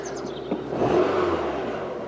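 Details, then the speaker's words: Rover 216 SE convertible warmed up for a couple of minutes. A smooth, steady, even low hum at roughly 800–900 rpm with no surging or hunting: a normal warm idle. "right it's warmed up a little bit after a couple minutes and now we're idling it below about 900 rpm of 800."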